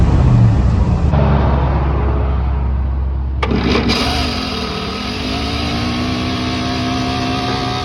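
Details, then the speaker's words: Truck engine after ignition module (under the distributor cap) replaced: short crank, catches and idles with an odd buzzy intake note from the air cleaner lid just set loosely on the carb. "wondering what that noise was I had the air cleaner lid set here but uh yeah now it should fire up and run good"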